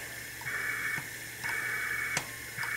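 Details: 6.5 hp overhead-valve small engine, previously seized, on a leakdown test: a faint, steady hiss of air in roughly one-second bursts heard at the muffler outlet, air escaping past the exhaust valve through the muffler.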